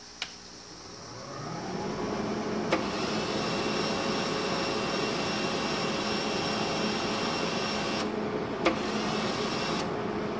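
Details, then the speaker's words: Hobart 135 MIG welder after resoldering a new component from a Hobart PTC1 repair kit: steady feed motor hum building and running evenly without cutting out, some clicks; wire feed now normal. "turn the pot down to a slower speed and works up"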